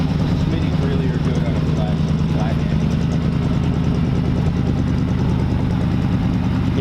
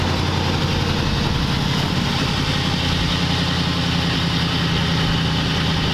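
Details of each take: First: 1940 Ford convertible engine idling: low, soft, even burble with a dull muffled exhaust note, too mellow for a hot rod but suited to this car; healthy engine. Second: 1940 Ford convertible flathead engine, idling: steady mellow even low beat but idle sits a bit fast; idle screw needs turning down.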